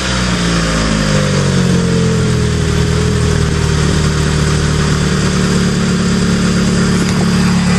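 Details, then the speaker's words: 1996 Mitsubishi Eclipse, belts checked good: the engine settles from a brief rev into a smooth, steady idle with no squeal or chirp from the belts; nice and quiet, a normal idle. "nice and quiet the way it should be"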